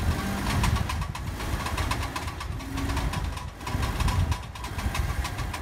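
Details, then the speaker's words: Car moving with steering at full lock: rapid regular clicking over low driving rumble from a damaged CV joint, which showed play when moved by hand. "y cuando el auto va avanzando usualmente suena cuando giras totalmente el volante y el auto"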